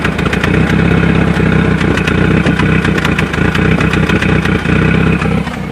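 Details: Volvo 940 Turbo misfiring with a rough, stumbling, popping idle and ticking clatter. Owner suspects the crank position sensor; a hose and the knock sensor (after a code) were changed, no codes now show, and vacuum leaks are still unchecked.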